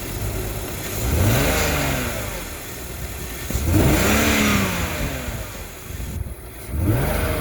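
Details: BMW 330ci petrol engine idling roughly, the note swelling and sagging every couple of seconds instead of holding steady; cause unknown.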